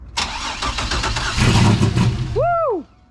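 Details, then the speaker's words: Turbo 3800 Camaro (GT3582 turbo) first start after sitting two years, no proper tune yet, no exhaust fitted: engine fires for about two seconds, choppy and uneven with a couple of sharp pops, cams audible, then dies; rough untuned first start. "we just wanted to get it running and you saw it it fired it popped at least two times dude you could hear the cams too even just with like the couple seconds it was running it sounds kind of Rowdy yeah well there's no exhaust on it right now"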